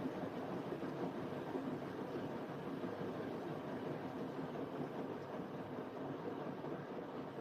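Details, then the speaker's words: Siemens 9 kg washing machine, Eco 40-60 with an 8.35 kg full load: heating has just turned off and the drum and motor wind up into spin with a steady, even rumble and no knocks or scraping; normal. "The heat has just turned off. Now it's going to spin. It's getting ready to do it. Here we go."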